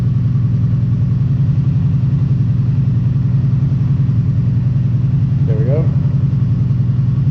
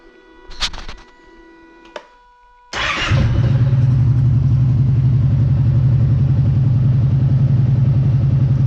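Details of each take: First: Kawasaki Brute Force ATV idling with the spark arrestor screen removed. Loud, open, throaty exhaust bark at a fast, even idle, reading about 65 dB on a sound meter. Loud idle without the spark arrestor. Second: Kawasaki Brute Force ATV at idle with the spark arrestor cleaned and reinstalled: it catches after a couple of cranks and runs a steady, even idle with no misses or knocks, sounding about the same as without the arrestor.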